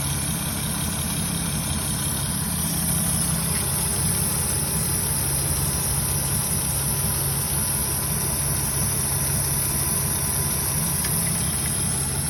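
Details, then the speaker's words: 4th-gen Acura TL J35 V6 idling with a light, fairly quick tick over the engine note; possible blown gasket suspected, cause not confirmed. "that's not good. It's a fucking tick."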